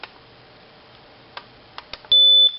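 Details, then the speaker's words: Smoke detector test after a battery change: a few handling clicks, then one loud, steady, shrill beep lasting about a third of a second; the detector is working. "and there you go, it's active."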